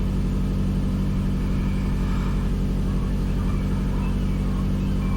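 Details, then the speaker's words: 2005 Toyota Camry with a previously rough idle, after throttle body work with the check engine light gone: steady even petrol idle with no misses, but sitting fast at about 1500 rpm, easing toward 1300–1400; idle still too high. "uh okay i calmed her down suppose that woke it up seems like it's idling a little high see if that comes down by itself"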